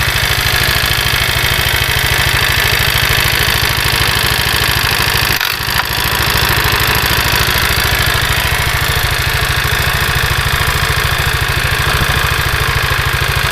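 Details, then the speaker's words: Carbureted Honda Vario 110 scooter, kick-started despite a total electrical failure, idling steadily with a harsh, gritty rattle over the engine beat; rough CVT noise, cause not yet pinned down. "Setelah diengkol dan dihidupkan, suara berisik ada."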